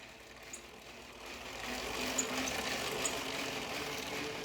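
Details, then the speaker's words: Bicycle chain after lubing each link and some riding to cure stubborn-link clicking: steady, even whir over the pulley and sprockets, no regular clicking. "You see, now it's making that very smooth transition over that pulley, the chain pulley, as well as the sprockets."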